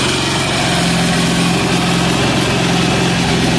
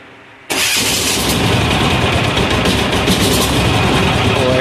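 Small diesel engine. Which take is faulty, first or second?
second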